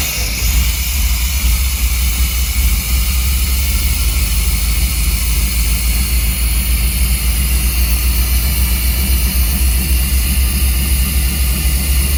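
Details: 1990s Chevy 350 5.7 V8 campervan after replacing black fouled spark plugs and cleaning ground wires: steady, even low rumble with no misses or knocks, running smoothly; owner thinks it idles too hot, may adjust timing.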